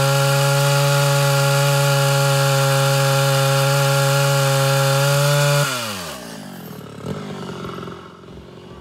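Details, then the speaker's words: Mildly ported Homelite Super XL Auto chainsaw after leaning high-speed mixture, cutting: steady high-pitched scream with no burbling, clean wind-down on release; no four-stroking, mixture a touch too lean. "so that's just a touch leaner than i prefer uh it didn't go into four-stroking at all whenever i kind of released a little bit of pressure"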